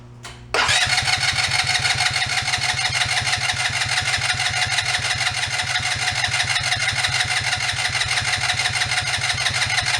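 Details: ATV that sat unused, after draining old fuel, fresh fuel and cleaned carb/fuel flow (vacuum fuel pump suspected): catches right away and settles into a steady, even run with regular firing, no misses or stumbles; normal running.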